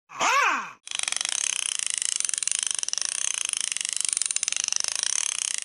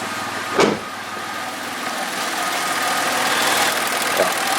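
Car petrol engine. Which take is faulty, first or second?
first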